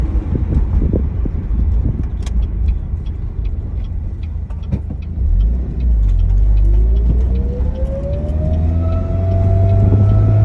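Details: 2007 Pontiac Solstice GXP accelerating: a clear whining tone rises in pitch, then holds steady over a low engine rumble; both belts were replaced and the sound persists.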